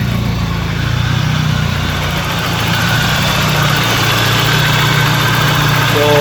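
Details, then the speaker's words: 1992 BMW 318i idling after A/C compressor bearing replacement: steady even idle with a smooth low drone and no whirring or grinding from the belt side; the noise from the old compressor bearing is gone, normal idle. "everything is okay. No more load sound from the compressor bearing."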